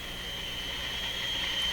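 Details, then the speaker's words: Minerva W119 six-tube valve radio, after replacing paper capacitors: steady high squeal near 3 kHz over faint hum, pitch unchanged when tuning, so not a heterodyne whistle; radio still working. "Hear the same squeal there, but the tone doesn't vary when I tune the pitch. So it's not a heterodyne through there."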